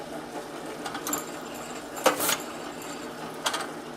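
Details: Advent 300 semi-automatic pressure sensitive labeler, electric 110 V with no air system, applying thick labels to molded plastic jars with overhead pressure arm: short whirring clacks about a second apart as each label feeds and presses on; running normally, accurate placement.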